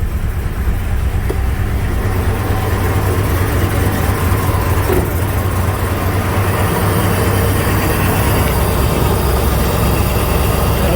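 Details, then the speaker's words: 1996 Jeep Grand Cherokee 5.2 V8 with warm stalling and idle problems, catalytic converter removed, cold start after cleaning grounds: exhaust rumble at idle with uneven stumbling pulse about two a second, sounds like a misfire. "Here's what it sounds like out of the exhaust. Sounds like a misfire."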